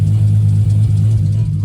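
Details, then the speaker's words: 1994 Toyota Supra MkIV 6-speed, 1251 bhp, Syvecs S6GP ECU, after chasing a boost leak and fuel pressure issues, checked for leaks before a test drive: deep, steady rumble with no stumble, miss or hesitation; running smoothly. "But to me, I think it sounds like that's sorted as such. Now I need to go for the test drive."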